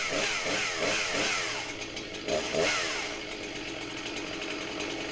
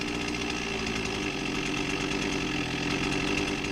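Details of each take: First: 21-year-old Husqvarna 261 chainsaw that hadn't run in a long time, hard to start: runs rough, sagging and stumbling at low revs during carb tuning. Lean low-speed mixture; the bottom-end screw is being richened and idle speed raised. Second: Husqvarna 261 chainsaw, 21 years old, after tune-up with low-speed jet opened (idle came down, response came up, left slightly rich): steady even two-stroke idle buzz, no stumbling or loading up; carburettor mixture right, normal idle.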